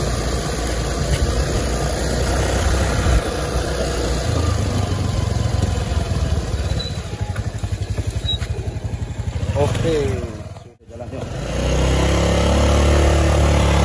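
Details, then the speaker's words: Honda Beat automatic scooter after replacing worn final-drive (gardan) ratio gears, riding test: steady engine, no whine or howl from the rear gears; normal running after repair. "ini sudah jadinya ya, ini sudah dibenerin ya. Dengar suaranya."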